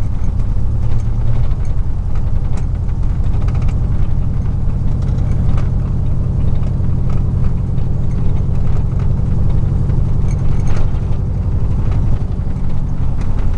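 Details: 2000 Chevy truck, 4.8 V8, four coils deliberately unplugged, driving; deep heavy rough lumpy rumble with no smooth V8 note; misfire, running on four cylinders.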